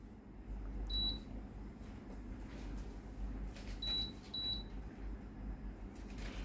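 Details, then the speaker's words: Tefal BL967B66/870 blender with controls that won't respond and sometimes show L6: short, high-pitched beeps as the menu buttons are pressed, menu won't scroll and only blending works; NTC sensor in the jug to be checked. "ไม่สามารถกดเลื่อนเมนูได้นะครับได้ยินเสียงดังปิดๆนะครับ"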